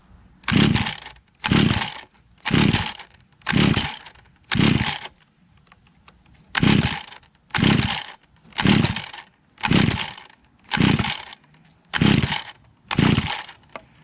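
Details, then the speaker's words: Little Wonder hedge trimmer two-stroke engine, choked, after carb cleaner sprayed into choke mouth: eleven sharp pull-start bursts, spins but never fires; primer won't prime no matter what, owner suspects blockage. Cranks but will not start. "Nothing. And it won't prime either. No matter what I do, it won't prime."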